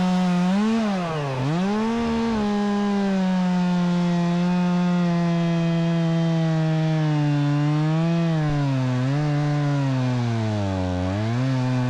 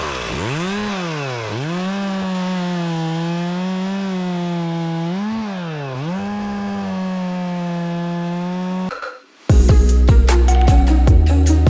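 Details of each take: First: Stihl MS 270C chainsaw, warm after about 8 minutes of cutting: pitch sags hard as the bar bites into wood, then recovers; bogs down and died twice only when hot, runs fine cold; cause not confirmed. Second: Stihl MS 270C chainsaw that bogged and shut off when warm, after fix, run warm on ethanol-free premium 50:1 mix cutting wood: smooth high wail dips as chain bites and recovers cleanly, no bogging or cutting out.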